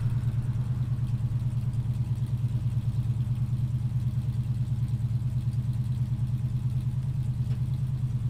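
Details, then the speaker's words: 1968 Ford Mustang during a pre-purchase inspection, cold engine fired on the click of the ignition: deep, even burble at steady idle, regular beats with no misses, knocks or ticks. Some exhaust condensation. Normal idle. "okay great startup it's pretty much fired on the click of the ignition"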